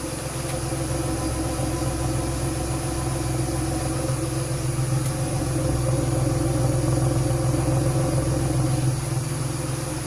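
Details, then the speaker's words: 2006 Pontiac Grand Prix after an engine swap and an exhaust leak fix, burning off oil and curing RTV: smooth, even low idle with a steady hum and no ticking, puffing or misses. "all right you guys we got our running nice and quiet no more exhaust leak really quiet it's been burning off the oil and burning in that RTV it's running great"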